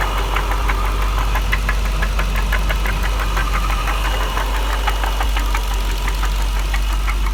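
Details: 1999 Jaguar XJR petrol V8 idling with sharp fairly regular knock about three per second, appearing after overheating on a drive following secondary tensioner replacement; owner asks if rod knock, unconfirmed.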